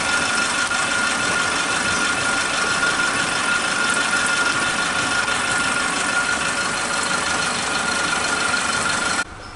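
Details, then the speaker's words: Suzuki Katana engine idling after the faulty old spark plug wires were replaced with a cheap new set: flat, constant, even idle with no dropouts until it cuts off; normal idle. "suaranya stabil banget, datar ya suaranya, konstan."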